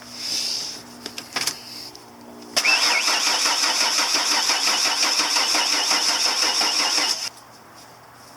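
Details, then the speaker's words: 1993 Ford E250 Econoline van cranks but won't start after new plugs, wires, cap and rotor with spark verified; starter turns engine over in fast even rhythm for about five seconds without catching; fuel delivery suspected, fuel pressure to be checked next. "I expected it didn't start so next thing we're going to do is play with this right here and see if we can't find out if we're getting fuel pressure"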